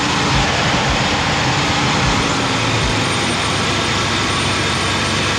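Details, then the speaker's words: 4.3 Vortec V6 swapped into an 83 Pontiac Grand Prix, Edelbrock 1403 Performer intake, carbureted, vacuum advance unplugged to demonstrate: loud, strained, steady roar with no crisp beat, engine labouring; retarded ignition timing. "now watch what happens watch i'm going to unplug it again listen to the engine"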